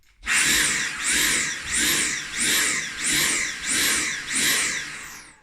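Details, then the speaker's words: Dyson V8 Animal cordless vacuum with the intake tube blocked: high motor whine surges and dips about every 0.7 s, then the motor cuts out despite the trigger being held; overload protection on a blocked intake. "because if you block it, or you suck up a sock, example, or a used condom or anything, you know, it blocks the tube and the motor switch is off, because otherwise it burn out."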